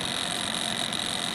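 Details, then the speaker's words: TK-Akula device at about 3 V input, ~60 mA draw, with the retaining spring removed from the ferrite core: thin steady high buzz with a faint rattle beneath; loose ferrite core halves chattering. "now i'm going to take the spring off the ferrite that holds it together can you hear that okay so it's definitely chattering"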